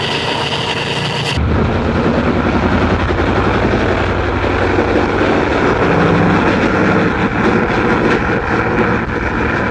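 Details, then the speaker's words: Ford Flathead V8, about 265 cu in, 4-inch stroke, four-barrel carburetor, on a run stand, no tachometer: pulls from idle to a steady higher speed with an even, smooth exhaust note, no misses or knocks; healthy. "Oh, that sounds great. That is great, Ed. Wow, that's beautiful. It starts right up."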